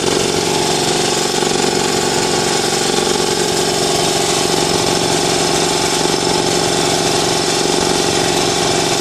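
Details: New Ingersoll Rand TS4N5 80-gallon compressor, 5 hp 230 V motor, 15.8 CFM at 90 PSI, 175 max PSI, cuts in near 140 and off at 170 PSI: even, rapid pumping chug of about four beats a second over a steady motor drone, no knocking or squeal; normal running.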